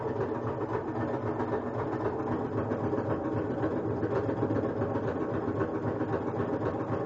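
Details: Kenmore front-load washer during spin cycle: steady mechanical churn with loose thumping about twice a second, as if hitting something or a belt rubbing; no objects found inside, cycle completes normally, source unidentified.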